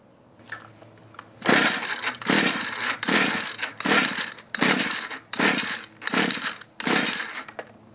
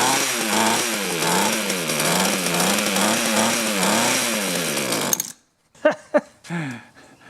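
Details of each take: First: Mantis mini tiller 2-stroke, sat in barn about 10 years, run on 40:1 mix: eight quick rope pulls, never catches or pops; fuel confirmed, no start traced to failed ignition coil. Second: Mantis mini tiller 2-stroke, outdoors, low-speed screw turned out half a turn, throttled up: high buzz surging about every half second, then cuts out (kill switch hit); running, mixture still being tuned.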